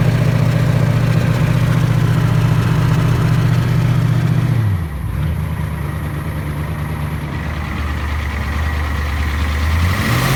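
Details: First start of a 7.3 IDI diesel after a complete top-end rebuild, after 11 years of sitting. Started on ether, fed from a jerry can. Deep steady idle holding an even beat, dipping briefly midway then settling smooth: running strong.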